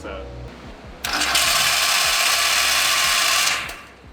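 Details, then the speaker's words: MK4 Jetta TDI on starting, with a harsh metallic grinding from under the hood for about two seconds that then fades; starter was suspected, and the cause was damaged ring gear teeth. "all right, so there you go. You can hear it sounds like absolute dog doo-doo under there. And we need to figure out what's going on."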